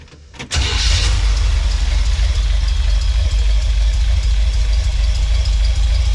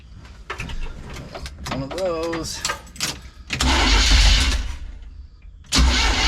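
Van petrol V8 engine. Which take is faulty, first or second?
second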